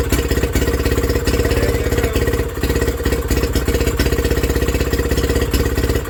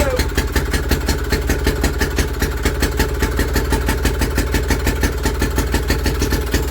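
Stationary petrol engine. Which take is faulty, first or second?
first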